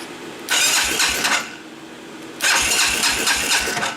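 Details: Baja 250cc ATV long stored in dust, after re-joining a possibly broken blue wire; two roughly one-second starter bursts with no catch, cranks but won't fire; old stale fuel, cause unconfirmed.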